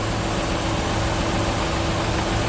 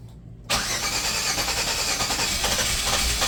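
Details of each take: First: 1997 Chevy Venture idling just after starting from long storage, new starter, recharged battery; uneven lumpy beat under a steady hiss. Owner suspects bad old gas, oil and water checked good, idle clearing up shortly after. Rough idle. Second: 1997 Chevy Venture after sitting years, jump pack on boost: quick, strong, even cranking with the engine trying to catch; starter sounds healthy.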